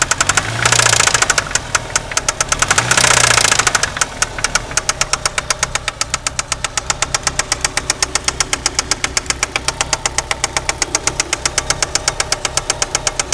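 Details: 1993 Eagle Talon turbo, stock 7-bolt 4G63: hard, sharp metallic knock about four per second at idle, louder with two short revs; confirmed spun/worn connecting rod bearing, with play found between rod and crankshaft after removing the oil pan.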